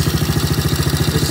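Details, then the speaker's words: Small Chinese kids ATV single-cylinder, centrifugal clutch: quick even putt-putt about twelve beats a second, no stumbles; motor sounds strong, no carb adjustment needed — normal idle. "but the motor actually sounds really really strong right now I don't see any reason to make any adjustments"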